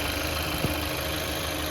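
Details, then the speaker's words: 2017 Chevy Malibu after water pump replacement, previously loud from wobbling pump pulley: steady, even, quiet idle hum with no squeal or bearing rumble; smooth, repair successful. "okay I still like it yeah very smooth and sound so that's a sign of a good job"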